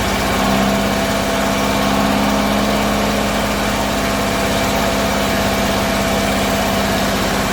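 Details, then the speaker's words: Bedford CA campervan (Rambo) being revived on a freezing −2° morning: uneven, lumpy idle with a shaky beat under a steady drone; owner suspects too much fuel from somewhere, cause unconfirmed. "yeah well it runs so now we've got to make it run right because it's running like a sack of potatoes falling off the back of the lorry"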